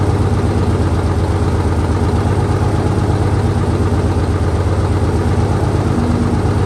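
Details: 1968 Dodge C500 truck on a day about 15° colder than before, started after a shot of starting fluid and a jump from an extra truck; deep steady idle, low even thrum, no knocks or misses; normal idle.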